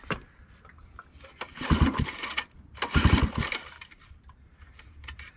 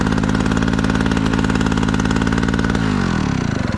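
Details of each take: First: Scrapyard-found generator, unsure how to prime. Two recoil pulls, each a brief chuffing burst that dies straight away. It turns over but doesn't start. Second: Generator engine salvaged from scrap, first start: catches and runs with an even, steady beat of about three firings a second, then winds down; running normally.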